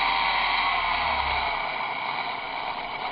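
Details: Small electric motor driven by a ZW-BT1 VFD inverter on first test start, bearings suspected worn, running around 40 Hz after rough, squealing running at lower frequencies: even, steady whooshing hum with no knocks, wobble or surging; normal running.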